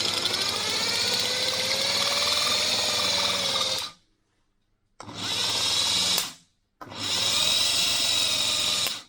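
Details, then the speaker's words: Ford Cortina Mk3 2.0 Pinto starter motor, removed and bench-tested with croc clips, turns slowly with a high strained whine in three short runs; owner believes it has gone stiff in storage and needs lubrication, high-torque replacement ordered. "want a little bit of uh lubrication I think over the years going now that's that's storage it's basically gone stiff in storage"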